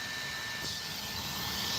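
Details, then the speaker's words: Goblin 700 RAW RC helicopter at the field: on plugging in the second battery, beeps are followed by the fan giving a steady, even high-pitched whir with a faint constant tone and no rattle. "You could hear that fan. Look at that fan spinning, man."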